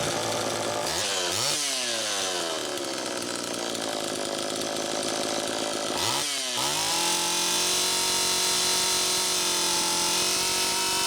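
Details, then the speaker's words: Homelite Super EZ chainsaw, second test run after a new crank seal, slightly flooded. Screams at high, unsteady revs that surge instead of idling, idle screw still far out: intake air leak. "first take a listen to how it's running it's pretty close but one key that something's still not quite right see how far out i have that idle speed"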